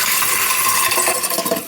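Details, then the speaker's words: Kitchen garbage disposal running with broken glass still inside after being freed: sharp glassy clinks and rattles skitter over the motor; a leftover glass piece is spinning loose in the chamber. "obviously there's something still in it that's what it is it's glass down there so a piece of glass got broken down here the glass spinning around in there"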